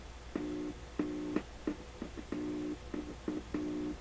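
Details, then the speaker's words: PYE Columbia Stereo 360 amplifier after replacing the defective 300-ohm wire-wound adjustable resistor: the channel that always worked passes a clean, steady low tone in even bursts, with no hum, crackle or dropout; normal signal output. "Okay so that's the channel That was always working still seems to be working that's a good sign"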